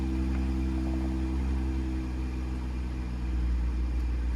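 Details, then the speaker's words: 2017 BMW X5 N55 just started after replacing belt, tensioner and idler pulleys: steady, even idle hum, the earlier loud pulley whine gone; new spark plugs fitted and some cold valve tapping noted. "I can already hear that pulley stop. That loud whining noise from the pulley. Man, sounds good."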